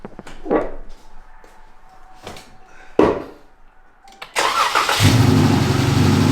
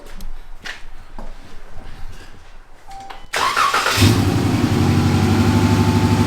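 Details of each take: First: Dodge Challenger V6 after spark plug change to fix a cylinder 1 misfire and shaking: handling knocks, then engine fires and settles into steady, even idle with no shake or stumble; repair successful. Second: Dodge Challenger V6 shaking, check engine light on: cranks and catches, then lumpy idle with regular stumble; code shows cylinder 1 misfire and injector circuit, spark plugs being replaced.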